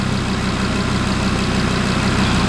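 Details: Audi RS3 DAZA five-cylinder at warm idle during first-start coolant bleed, checked for airlocks and hot spots, 80 degrees on top hose; even, steady smooth beat, no knocks or rattles, normal healthy idle.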